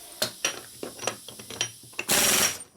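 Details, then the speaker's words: Air impact wrench used during a Revtech 4-speed Harley shovelhead transmission rebuild, after the shop air is turned back on: a few short rattling hits, then strong sustained hammering once full air pressure arrives; normal impact wrench operation. "that sounds a big difference."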